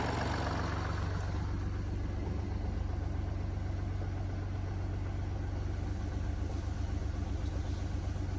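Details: Mini Cooper D three-cylinder diesel at idle: uneven low rumble with a steady pulsing rattle under the engine beat, from a worn dual mass flywheel that holds the clutch springs; judders after clutch lift.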